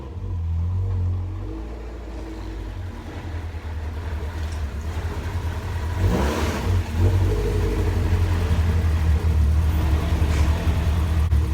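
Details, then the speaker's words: Honda B17 engine in a CRX that jumped timing, idling cold before a compression test: lumpy, uneven beat with a slight stumble and a rev blip; misfire, with bent valves and cylinder 1 suspected. "Now you can kind of hear it misfiring a little. It sounds off, so we'll let it get warmed up so we can do a warm compression test."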